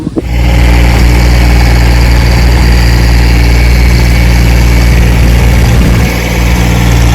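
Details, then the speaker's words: 1968 Johnson 6 HP two-stroke outboard after mechanical restoration, lake test run: steady, even buzz holding speed without stumbling or misfires; running smoothly and healthy. "put the oil in it and she runs like the charm and a barrel"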